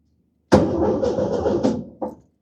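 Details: 1971 VW Beetle air-cooled engine, sat for years during restoration, first crank in neutral with no fuel in it yet. The starter spins it steadily for about 1.5 seconds with even compression pulses and no firing. Normal cranking.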